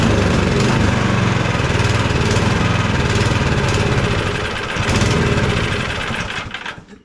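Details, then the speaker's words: Cub Cadet 2X 24 IP snowblower with an MTD Powermore 243cc IntelliPower engine, primed and choked, throttle on medium, before repair. It starts, runs rough and uneven, then sags and dies within seconds and stays running only while primed. Not enough fuel is suspected, or a fault in the IntelliPower system. "I'll prime it and start it it starts right up if you prime it and then it dies right back out"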